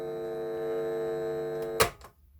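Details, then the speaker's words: Vintage National Panasonic RX-1490 on playback after rewinding; the hum was absent while recording. A steady, low, buzzy hum sits under the playback, caused by dirty record/play switch contacts. "let's rewind a bit and play still got the hum there"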